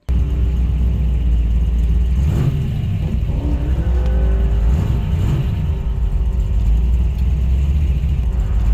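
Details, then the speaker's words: 1965 Chevelle V8 with a new clutch that failed, the pedal hard as a rock. Under throttle in first and third gear the revs climb while the drone stays flat, engine speed outrunning the car: clutch slipping. Cause suspected, not confirmed. "first gear sounds like it's slipping right off the bat here"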